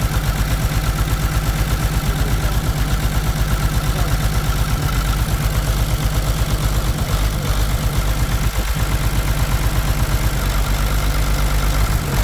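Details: Caterpillar C13 heavy diesel idling during injector cut-out test on cylinders two and three, valve cover off, deep pulse about 167 per minute with occasional stumble, heavy smoke; misfire suspected from a bad injector, not confirmed.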